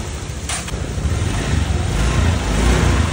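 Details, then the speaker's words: Honda Vario 125 FI after piston replacement (seized from neglected oil change, rough and white smoke before), oil level checked: low, even, smooth idle putter with no knocking or rattle; engine healthy, back to normal. "Nah, untuk suara mesin sudah cukup halus ya. Baik, ini setelah saya tes ya beberapa saat aman ya. Untuk suara mesinnya halus normal seperti semula lagi dari sebelah sana ya."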